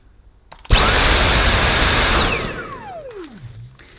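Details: Dyson V8 Absolute cordless vacuum, new and run before its first full charge: loud steady high whirring with a clean high whistle, then a smooth falling spin-down on switch-off; normal run.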